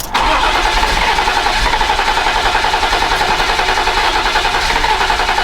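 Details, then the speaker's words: BMW E34 wagon, dead fuel pump relay, new fuel pump fitted: starter spins engine at steady quick chug about 3.5 beats a second but it never fires, starter smells hot; crank no start. "starter does not smell good smell good right now all right round two here we go"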